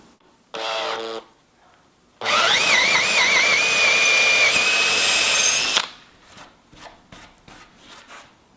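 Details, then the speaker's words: Cordless drill on speed setting 2 (faster) drilling holes in timber: short burst then high steady whine rising slightly as it bites; normal high-speed drilling. "on setting to the drill spins faster but it's great for doing jobs like drilling holes in timber"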